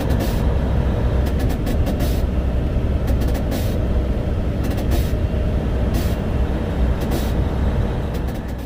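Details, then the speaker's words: Owner-operator flatbed truck after breaking down following a snow storm: continuous loud hiss of escaping air over a deep idle rumble as the air compressor pressure relief valve blows off, likely from overpressure. "So at the end of that clip there, you can hear what you're hearing is the pressure relief valve blo"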